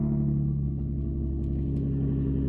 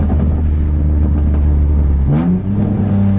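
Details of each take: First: Nissan 350Z idling after its test-pipe gasket was replaced and the bolts tightened: steady, even low rumble with no puffing, ticking or hiss; exhaust sealed and back to normal. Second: Nissan 350Z with a major exhaust leak that appeared suddenly while driving, sounding like open headers: loud, raspy, open roar rising and falling with each rev, described as a leak at the pipe joint near the headers.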